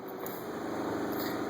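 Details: Methanol injection pump running with the boost control valve terminal grounded: a steady, even, high-pitched whir with no stutter or surging. Meth is flowing and the flow sensor shows a good pulse width on the oscilloscope.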